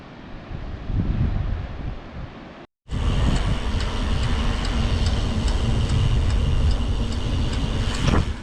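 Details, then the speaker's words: Bicycle disc brake clicking while riding since new pads were fitted: light, fairly regular ticking about four a second over wind and tyre rumble; stops when the brake lever is lightly touched. "i don't know if you can hear that annoying clicking noise my brakes been doing it pretty much since i fit in my new brake pads"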